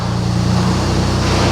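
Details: Flooded Mini Clubman after replacement engine swap, no warning lights or fault codes: steady, even low idle with smooth unbroken beat, no knocks, misses or rattles; normal idle.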